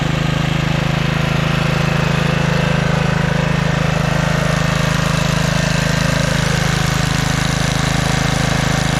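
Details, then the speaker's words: 1997 Craftsman II 30" rear-engine riding mower (model 25621), 13.5 hp Tecumseh engine (143971300), mowing on test run: steady, even single-cylinder beat, no misses or knocks; carb came around, runs super smooth and quiet. Normal running. "well how about that all of a sudden the carb is running great and I don't know if you could tell through the camera but this thing mows super smooth and quiet"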